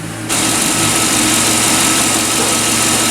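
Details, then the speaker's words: 2007 GMC Yukon V8 after engine replacement, first run, possibly aftermarket exhaust: strong, steady idle with even hiss, no rattles, ticks or shaking; slight smoke from manifolds considered normal; check engine light on, possibly from battery disconnect. "No rattles, no ticks, no shaking. A little bit of smoke, I mean that's normal."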